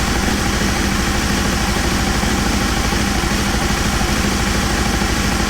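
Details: Aprilia Caponord V-twin at cold start idle with TuneECU connected and vacuum gauges fitted, idle fault being chased: steady, even low thump, no misses or tapping; throttle bodies balanced, running healthy.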